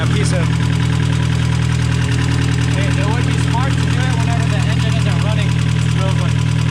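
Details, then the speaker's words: Cheap 1.8L Mazda Miata, possibly cammed, first start after sitting in a field, weak battery, water in exhaust, smoke and burning smell: lumpy, uneven idle pulsing about four times a second; owner thinks it runs on only two cylinders. "i think he's only running off on like two cylinders right now"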